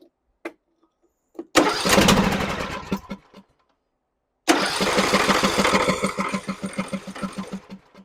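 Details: John Deere E100 riding mower that died while driving with a puff of smoke, in no-start diagnosis: after a few hesitant cranks it catches and settles into a steady single-cylinder putter, starting and running normally.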